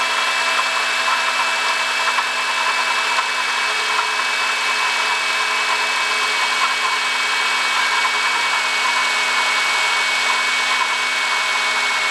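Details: 2005 Honda Odyssey, 268,167 km: steady high-pitched whirring whine, no low-end rumble, even at idle; worn water pump bearing, cured by replacing water pump, thermostat, thermo switch and coolant.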